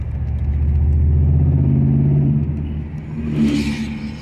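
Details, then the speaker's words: Ford/Mercury Grand Marquis 4.6 V8, lifted, misfiring after an off-road water crossing, with coil issues: uneven, loping low rumble and stumbling beat while driving, down a cylinder, like a big cam. "yeah this thing's definitely down a hole on the plus side sounds like it's got a big cam"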